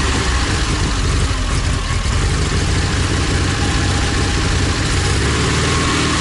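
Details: ZAZ 968M after standing, fuel pump repaired and carburetor adjusted: deep, steady engine rumble with no misses, surging or knocks. Normal idle.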